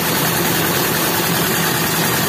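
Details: Toyota Kijang Super engine that came in hard to start and misfiring; loud, ragged, stumbling idle with chuffing. A compression leak was suspected, and the opened head showed a corroded cylinder head and worn pistons from overheating.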